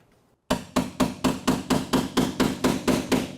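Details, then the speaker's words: 1967 Mustang inner fender battery tray apron being removed with hand tools: steady hammer blows about twice a second, ring rising in pitch over one spot, showing an intact spot weld still holding the panel that must be cut out. "can hear the pitch change whenever I hit the spot. It starts to go up in pitch."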